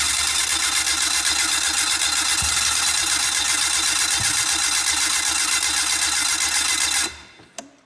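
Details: Four-stroke fuel-injected snowmobile retrieved after 30 days underwater, oil and water drained, plugs pulled: steady rapid cranking about four turns a second with a couple of weak pops, never catches; cranks but won't start.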